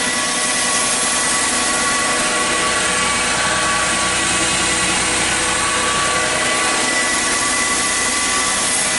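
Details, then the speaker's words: 2006 Chrysler Sebring with an electrical issue causing transmission limp mode, a jumping speedometer and a check engine light: steady high whine at idle from low in the engine bay, pitch unchanged; owner says not normal, alternator suspected. "now I've heard many of these sebrings running and that whining sound down there definitely doesn't sound normal"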